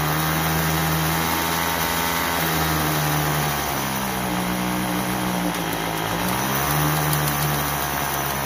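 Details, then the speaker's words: Troy-Bilt TB32EC two-stroke trimmer after carburetor idle adjustment: steady buzzing idle, clean rev-up on trigger, drops back without stalling, head stops at idle; running properly. "so that's pretty close we want our head to stop when we stop giving giving it the gas and then we want it to idle but not stall but not too fast"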